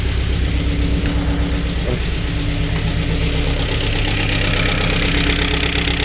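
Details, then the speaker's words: Chevrolet Aveo 1.5 8-valve Opel engine, first start after head gasket repair and cylinder head work, weak battery: fast light ticking over steady idle with no misfire; hydraulic lifters chattering until oil pressure fills them. "Ну що, от вінта з полпіночка, нічого не троїть, трахкатять гідрики."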